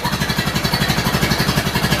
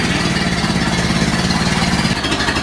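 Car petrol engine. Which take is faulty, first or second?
first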